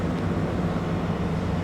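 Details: Cotton picker row unit head being rotated, front drum: steady, even low drone with no binding, knocking or grinding; front drum turns freely, normal, unlike the tight back drum and slipping main gearbox slip clutch.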